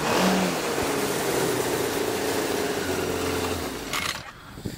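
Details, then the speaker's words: 2003 Yamaha RX-1 snowmobile, stored for a couple of years: engine revs up and falls back unevenly, ragged and stumbling, settling into a lumpy idle and not revving out fully; dirty carburetors, no rod knock or unusual engine noise. "carbs are a little dirty on it so it doesn't like to idle the greatest or uh tack out all the way but it's just the carbs are dirty on it"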